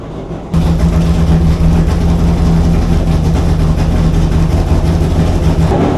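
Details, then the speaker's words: Chrysler 440 Six Pack V8 with rebuilt triple carburetors, not yet warmed up, fast idle: heavy uneven lumpy stumbling rumble; water-bottle test shows two cold exhaust pipes per side, four cylinders dead, running rich; cause unknown yet. "he finds two cold pipes on the passenger side and two more on the drivers four cylinders are not working"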